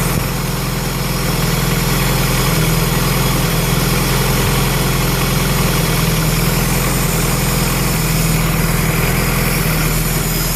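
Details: Honda B18B1 with forged Wiseco pistons and Clevite bearings on 15W-40 diesel oil, cold start: loud steady clattering knock a few times a second over rough drone; suspected forged-piston cold slap, not confirmed.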